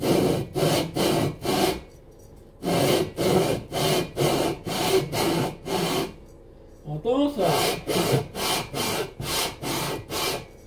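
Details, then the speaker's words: Cox 1600 engine, lapping cylinder barrel onto head (no gasket between them) with coarse paste on cylinder 2: rhythmic rasping strokes about two a second, some catching and scraping harder; high spots remain, mating surfaces not yet flat. "On va écouter le bruit encore et encore. Voilà, attention, on va entendre que ça reprend, hein."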